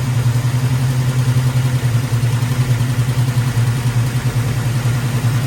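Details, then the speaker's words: Chevrolet squarebody big-block V8 after repair, valve covers back on and idle lowered: a steady, even, smooth burble at about 1,400 rpm with 60 psi oil pressure and no misses or knocks. Healthy idle. "Wow. 60 pounds of oil pressure, 1,400 RPMs, running smooth."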